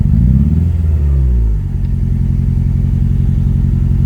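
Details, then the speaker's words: Honda Civic with eBay turbo kit at idle: uneven, lumpy four-cylinder beat as one cylinder fails to fire, dead miss; air-fuel ratio reading higher; traced by pulling plug leads. "you can hear good right there so yeah it's got a it's got a dead miss"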